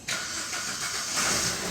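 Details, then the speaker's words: Maruti Ritz diesel with cranking-no-start, fixed by repairing faulty main relay coupler that kept disconnecting: starter catches quickly, settles into steady, even run with light hiss; normal start. "Alright, okay, vehicle started. Hello viewers, car problem is solved. Vehicle started well."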